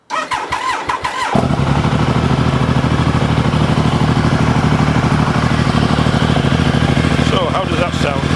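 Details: Triumph Tiger 885i fitted with a sidecar outfit: the engine catches cleanly after a second of cranking, then settles into a steady, even, deep idle. It sounds healthy.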